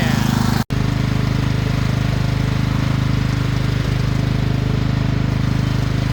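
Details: Craftsman LT2000 riding mower: small single-cylinder catches fast and settles into a steady, even putter with no misses or knocks; running normally.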